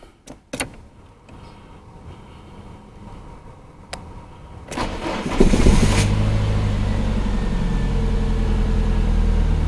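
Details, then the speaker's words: Samand fuel-injected engine that had hunting idle, stalling and hard starting, after idle air control valve replacement: clicks, then cranks and catches, rising to about 1500 rpm and settling near 1000 rpm to a steady even idle. "да как ни странно регулятор за 319 рублей работает но значит регулятор установлен машина с ним завелась нормально"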